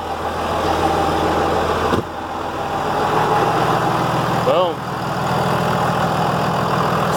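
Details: Dodge Ram 2500/3500 Cummins idling right after a new AirDog 150 lift pump was fitted to replace a failed one: a steady, even idle with a low rumble and no misses, knocks or surging, sounding healthy.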